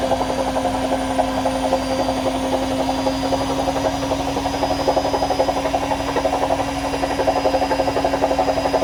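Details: AEG washing machine during spin: steady hum with a quick, fairly even rattle about four times a second; something loose, cause unknown.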